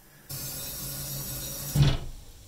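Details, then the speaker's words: Wall-hung toilet cistern refilling with steady hiss, then a hard thud through the plumbing as the fill valve shuts: water hammer; anti-hammer devices at the manifold not very effective, arrestor to be fitted near the cistern fill valve. "entendu coup là ça comme un bon coup de bélier là on est côté installations je sens quand en plus par là ça fait quand même un sacré coup de bélier"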